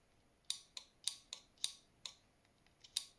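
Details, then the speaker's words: Relay from the engine bay of a 1989 Nissan Silvia S12 1.8 Turbo, bench-tested with power applied: sharp, crisp clicks, about eight in three seconds, in a quiet room as it pulls in and the contacts close; relay working. "It's clicking, so we'll leave that connected."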